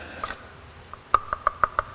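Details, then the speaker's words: 1993 Acura Vigor main radiator cooling fan spun by hand during radiator replacement: sharp tinny ticks and light ringing as it turns, still spins and works; fan motor bearing starting to wear. "I mean, it still spins and it still works, but I'm going to have to keep an eye out for that because it sounds like the bearing in here is starting to go."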